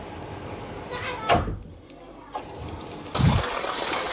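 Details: Newly installed outside tap after a sink airlock: a few knocks and clatters, then water rushes out in a steady, even stream with no spluttering; the tap flows properly.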